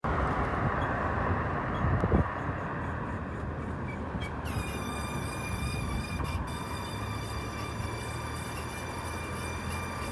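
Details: 2018 Mazda CX-5 with good pads and rotors: a thin, steady high-pitched squeal over road rumble on right turns that stops when braking. A brake pad retaining clip touching the rotor was fixed by adjusting it, with no parts needed.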